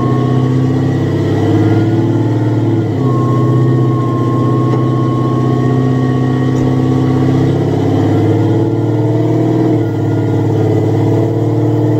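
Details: Supercharged Coyote V8 Ford Fairmont on dyno, about 900 rear-wheel hp, new Magnafuel 750 pump on boost-referenced return fuel system: loud smooth roar climbing slowly in pitch, no misses, knocks or stumbles; fuel pressure verified, normal WOT pull.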